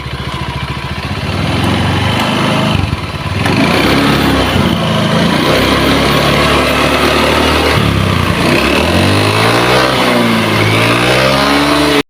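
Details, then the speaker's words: Honda Beat eSP scooter with rough engine and wet exhaust: coarse, uneven rattly note rising and falling with revs; exhaust wet black with oil, heavy smoking, so piston rings judged worn. Worn piston rings. "Hitam basah itu tandanya udah ngebul parah ya. Ini oli dari mesin tuh ya, udah kandel begini pokoknya mah tuh. Bisa terlihat ini basah, hitam basah. Kalau udah seperti ini udah pasti sehernya kena."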